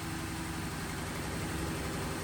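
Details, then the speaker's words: Ford Taurus unused for about three years, old fuel: rough, uneven idle with an unsteady low rumble just after first start; misfire from worn, wide-gapped spark plugs. "it runs so the good news is we got it running the bad news is it's got some kind of misfire"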